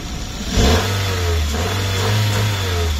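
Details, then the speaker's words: 2010 Chevrolet Aveo 1.2 16V petrol, 70 hp, 5-speed manual, verified mileage, started easily. A quick blip lifts the engine smoothly into a steady clean drone with no knocks, misses or rattles; revs eagerly and sounds healthy. "Mint egy versenyautó, úgy veszi a lapot, úgyhogy valószínűleg futott, megvan a két darab gyári kulcsa."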